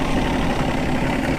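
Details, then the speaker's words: 1988 Evinrude 200hp outboard on a Stratos fish & ski boat, idling in neutral at the marina during a loss-of-power diagnosis: low, even burble with no misses or knocks. It idles perfectly, though the later test run failed. "yeah I think it idles pretty good we can eat you can almost like it's it's perfect right there you know"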